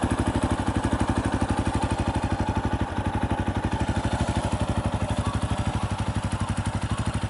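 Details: 2018 Yamaha Tricker XG250 single, after cam chain tensioner adjustment: steady thump around three beats a second, even and unhurried with no extra clatter; normal idle.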